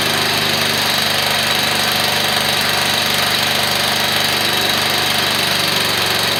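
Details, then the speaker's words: Briggs & Stratton small engine in a garage build, temporary exhaust fitted: loud, rapid, even bark at steady speed with no misses or knocks; runs fine, just louder than expected. "all right so there you are it is running it's not as quiet as what it says I see quiet doesn't sound right"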